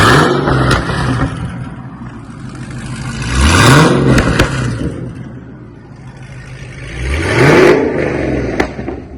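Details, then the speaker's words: 2011 Cadillac CTS 6.2 L V8 after custom exhaust rework: custom mufflers and remade mid pipes, welded solid, leaking header-collector V-bands replaced; previously wide open. Two deep revs rising and falling with smooth solid rumble, no rattles or leak ticking; healthy exhaust note. "Should give it a little rumble. It was wide open when we got it."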